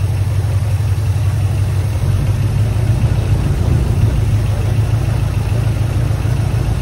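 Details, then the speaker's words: 1979 Ford F-150 Custom tool-body truck, sitting since 1999, after carburetor mixture adjusted (linkage sticking): deep low idle settling to an even beat with no misses; running much better. "it's a little better yeah it's getting better yeah that's much better"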